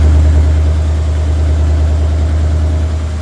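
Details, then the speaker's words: Ford F100 V8 with dual exhaust, cold start after valve cover gasket replacement, having sat about a week: deep, even burble holding a steady idle with no knocks, ticks or misses; healthy. "but anyway that's the cold start i'm sure you guys are like super stoked about it"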